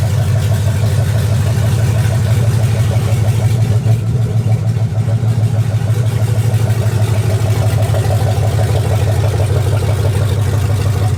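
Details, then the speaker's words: 2004 Dodge Ram Rumble Bee truck with a 6.1 HEMI V8 from a 2006 SRT Charger, first start-up after the swap, running a little hot: deep, even V8 rumble at a steady idle with no knocks or misses; normal idle. "all right so we got the we got the truck up and running as you can see sounds pretty dang good"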